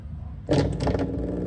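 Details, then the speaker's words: Brastemp 9 kg top-loading washer that won't spin, drain pump energized directly with test cable while machine lies on its side; silence then steady low hum with faint buzz, pumping water: normal drain pump operation. "Eletrobomb está funcionando. Nesse ponto ela deveria estar puxando a água. Tá vibrando aqui, puxando a água para fora, né?"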